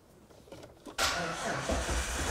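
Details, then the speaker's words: Car with a poor battery started using a DeWalt DXAEC100 charger's 100 A engine-start mode after its 60-second countdown: sluggish, laboured cranking drags before the engine catches. Slow cranking from a weak battery; about 13.1–13.3 V afterwards. "so as you can hear that was a pretty slow start this battery is definitely not good by any means but it worked and I think that's a great thing"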